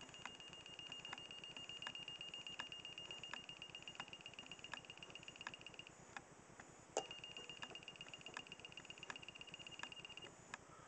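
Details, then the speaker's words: Tester from a Kewtech test-kit bag, offered up to a large socket and held right up to the mic: a thin, high beep cuts in and out, barely above room noise. Its alert should bleep loudly; owner suspects flat batteries. "I don't know if you heard that, but there you go."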